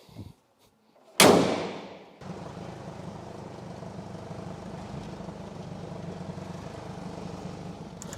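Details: Jeep Cherokee XJ diesel after timing belt kit replacement, coolant refilled and about to road test and warm up: sharp crank-and-catch, then a quiet, even idle with no knocks or rattles; runs fine.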